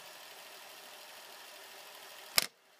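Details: Toshiba AH-350 Betamax VCR (Beta II/III) fast-forwarding after its belts and a roller were replaced: an even high-pitched whir with no slipping or surging, ending in a clean click stop. The transport runs healthy.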